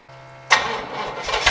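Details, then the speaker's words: Old International pickup, first start of Chevrolet V8 after motor swap, radiator leaking: brief starter whir, then V8 fires right off and roars up cleanly; oil leak at one valve cover noted. "well it runs so get fired right off"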